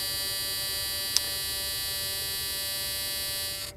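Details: 1983 Plymouth Gran Fury cabin warning buzzer. Steady, shrill electric buzz at one pitch for about three and a half seconds, then stops; working normally.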